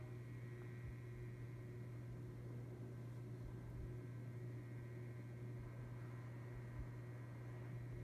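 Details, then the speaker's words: Encon ceiling fan found in the trash, running on high speed: a steady low electrical motor hum sits under the airflow. These fans are not quiet; it is normal motor hum. "You can hear the humming on the motor. These Encons are not quiet at all."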